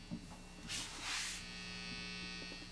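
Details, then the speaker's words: Mid-1970s Fender Silverface Twin valve amp, previously modded, after servicing including a phase inverter circuit repair: idling with the noise gate off and no playing, a constant low hum with a buzzy edge; residual mains hum. "i usually play with a gate on i think it's worth it just to kind of knock out most of that but then when i play you can't hear it"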